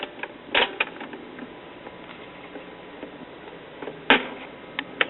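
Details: Olympic (rebadged Electrophonic) circa 1971–72 all-in-one stereo, Maestro two-speed record changer: scattered clicks and sharp clacks as it cycles, no steady drop rhythm; stacked records not dropping properly, possibly uneven center holes.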